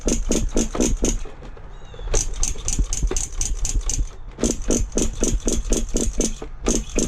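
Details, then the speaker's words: Nitro monster truck (Paintball) in cold weather with the glow plug heated: rapid rattling starter pulses, five or six a second, and the engine never fires because the fuel tank is empty. "Ain't got no gas in it. Told you guys he didn't have no gas in him."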